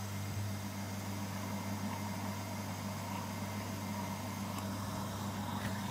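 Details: Household water pump motor running but not lifting water, suction felt at inlet: steady, even low hum with no surging or rattle; motor and head fine, air leak in pipeline suspected.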